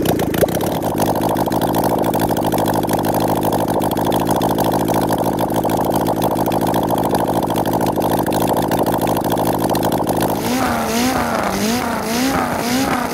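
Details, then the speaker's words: 1974 Kawasaki Z1B 900 engine run out of the bike, first start in over 40 years, no sign of ever being apart. Open ports with no headers or air filters; carbs set with wire. Crisp, even idle and clean blips, possibly a shade lean: healthy running. "i think it's a shade lean but it's not open pipes with no air filters okay so it's um mate it just sounds absolutely gorgeous"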